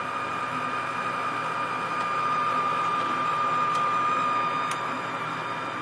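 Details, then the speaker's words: Forced-air furnace during self-test after an integrated control card replacement (air handler had stayed on past its off-delay, blowing cold air): inducer motor runs 10 seconds with a steady hum and constant level whine; normal. "great the inducer motor has turned on for 10 seconds"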